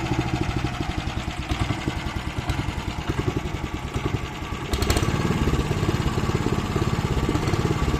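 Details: Weima small single-cylinder petrol engine with hunting idle, revs sagging and rising, barely made it home; cracked fuel line found; owner suspects carburettor, possibly speed governor, plans carb cleaning.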